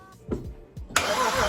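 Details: Non-running BMW 335i cranking a few slow, uneven turns then a sustained soft crank that never fires; owner suspects low compression; cause unclear.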